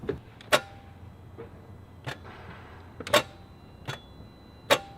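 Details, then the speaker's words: 2011 Audi A4 2.0 four-cylinder turbo: sharp single clicks every couple of seconds, no cranking at all; engine won't crank, just clicks, battery to be tested. "well unfortunately that's what we got nothing the engine won't even crank it just clicks"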